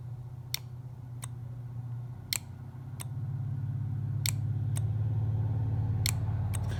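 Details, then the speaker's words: John Deere 310D reverser solenoid valve on the bench, removed from machine: sharp separate clicks each time the coil is energized, over a low hum; valve moves and sounds the same both directions; solenoid clicking normally. "and so if i energize the coils you can see the valve is in fact moving"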